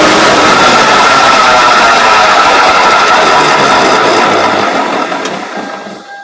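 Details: 2000 Toyota SW4 3.0 turbo coasting at speed, noise from 40 km/h: steady alternating droning hum under road and wind rush, fading as it slows; worn wheel bearing.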